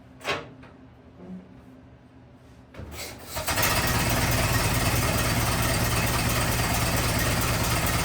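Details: 1927 Ford TT truck, restarted on battery ignition, choked after refuelling; a few cranking bursts then catches into steady, even low chug about three beats per second, idling smoothly; good runner, normal idle.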